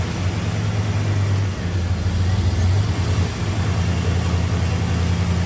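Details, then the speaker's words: 1989 Pontiac Trans Am GTA, 5.7L (350) TPI V8, about 35,000 miles: starts and idles fine with a deep, steady, even rumble, no miss. Later stalls when put into drive or reverse, especially with AC on. Normal idle. "Okay, at first it starts up and seems to idle fine."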